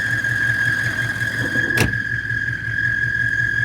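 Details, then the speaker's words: 1997 GM 6.5 diesel truck at idle, lacking power: constant high-pitched squeal from the accessory drive over the diesel idle; owner suspects the vacuum pump, possibly the tensioner. "look at this squeaking noise sounds like it's either the tensioner or the vacuum pump probably the vacuum pump i hear negative about those but i wish i could shut that up"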